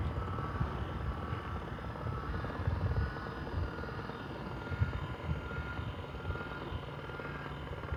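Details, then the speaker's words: Chamberlain LiftMaster LA400 gate operator after repair with new motor kit and control board, moving the gate while closing limit is set; steady low motor drone with light gear chatter, even and unbroken: normal gate operator running. "now you should be able to push your single button down here and the gate should function as normal"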